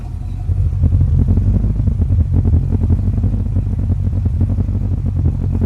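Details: 1953 Chevy idling 15–20 minutes after a dual 12-inch electric fan kit, custom shroud and 160°F thermostat were installed. Deep, steady, even rumble with no knocks or misses. Temperature holds about 180°F, versus 215–220°F before.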